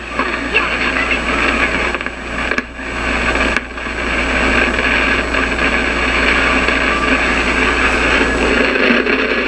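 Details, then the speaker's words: Zenith tube AM radio tuned to a blank station, on for about half an hour: irregular hissing and crackling over low hum; silver mica disease, not yet repaired, bad tube socket not ruled out. "Yeah, that's what silver mica disease sounds like. and it's really annoying to fix and I haven't tried yet."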